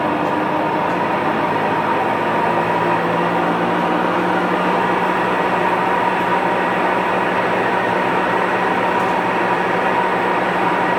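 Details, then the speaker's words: Huebsch coin-operated washer after burnt belt replaced: loud steady drone with hum and rushing noise through spin, no clear knock; owner unsure if bearings or control board. "so if anybody in the comments can give me suggestions is what to look for or is it bearings or what or do I have a board issue"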